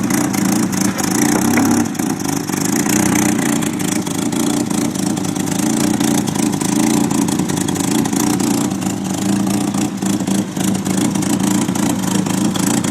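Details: 1993 Nissan 240SX S13 SR20DET with an exhaust leak, run on jacks: an uneven, stumbling idle with irregular dips that never settles; the owner later blamed slight oil overfill while on jacks, helped by injector cleaner.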